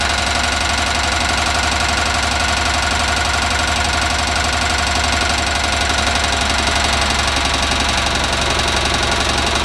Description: Onan CCK engine making a knocking or tapping sound